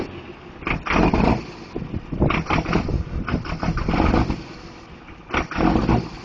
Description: daves truck with a bad injector, but it sounds bad ass lol.